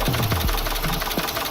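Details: Dodge Durango 5.7 Hemi at idle with a loud ticking complaint, dumping raw fuel into the cat. Fast, sharp rhythmic knocking taps several times a second over a steady idle. It is deemed too much risk. Engine knock, cause unconfirmed.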